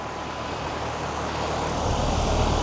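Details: Two 3-ton AC condenser units on an off-grid solar system, after installing a Micro-Air EasyStart Flex soft starter: low steady hum builds gently over seconds, no hard thump. Smooth, quiet compressor start, unlike the usual loud start.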